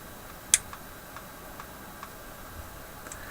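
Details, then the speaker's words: General Electric KL-70 AM/SW tube radio under troubleshooting: sharp isolated ticks every half second to second over faint hiss from the speaker; clicking occurred before with the push-button assembly unplugged, cause not yet traced. "there's a ticking sound coming out of the radio no it's coming out of the speaker"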